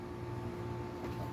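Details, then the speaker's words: Garage dehumidifier running at night, with the ceiling fans also going: a constant low compressor drone with a couple of steady tones on top. It is quieter than the Martin unit's compressor but noisier than it needs to be. "I I will give it credit the uh compressor on the Martin was a lot louder than this unit but still it's quite noisy noisier than it has to be"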